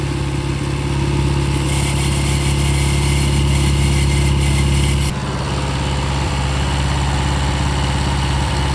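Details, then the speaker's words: Restored 6.5 kW gas Kohler genset after water pump repair with new homemade gasket: steady even hum at constant speed with a slight drop in tone, smooth; running and cooling as it should. "So we got the water pump problems fixed, all the water pump. The thing is running like it's supposed to, cooling like it's supposed to."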